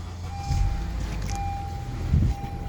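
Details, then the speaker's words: Idle of a 2013 Honda Accord EX-L petrol engine: low, smooth, steady rumble with no knocks, ticks or squeals; normal idle, no strange noises. "So, it did start up from a cold start that fast. Let me turn it off. No strange noises or anything."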